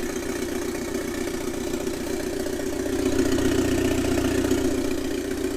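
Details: 1997 Eclipse GSX after 6-bolt engine swap, first start, running with an open downpipe: loud, raspy but steady idle with even exhaust pulses and no knocking; engine runs normally.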